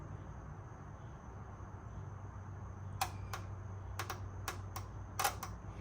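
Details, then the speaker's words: Fuel injector tapped with 12 volts from a battery maintainer: about eight crisp, sharp clicks in three seconds over quiet room hum; injectors good, so a connection issue is suspected; normal injector clicking. "Yep, so fuel injectors work. Hopefully y'all could hear those clicking on and off."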